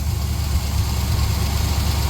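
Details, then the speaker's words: 1966 GMC pickup running off its own tank: steady fast idle with no dip; owner recalls a faulty throttle linkage not returning, suspects it may be running lean or out of fuel; it died shortly after. "Start running smoother. It might be going lean. It might be out of fuel. It's idling higher."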